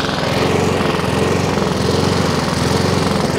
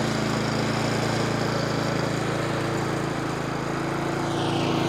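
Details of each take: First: Three-week-old Honda Izy mower, GCV145X engine, used twice, auto choke confirmed off: after about a minute running, speed rises and falls about once a second; hunting from partly blocked carburettor emulsion tube, fixed by carb service. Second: Nearly new Honda Izy lawnmower with GCV145X engine, brought in for hunting, after carb service and fresh fuel: steady even drone without hunting or surging, then shuts off cleanly; running normally.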